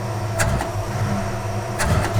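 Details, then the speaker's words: Red Duster, stock 360 V8, idling about 20 in vacuum and 12–13:1 AFR in the garage: two quick throttle snaps where revs stumble before picking up. Bad bog on wide-open throttle; owner suspects an undersized 31 front accelerator pump squirter. "When you snap it all the way open, it has a pretty bad bog."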